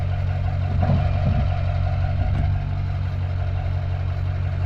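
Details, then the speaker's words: 6.6 LB7 Duramax diesel at idle before the exhaust swap: deep, uneven idle with a raspy, puffing edge low down from a big exhaust leak at the front; the pipe had a hole. "We also have a big leak up at the front, so let's get this exhaust off before it gets too hot and start putting another one on."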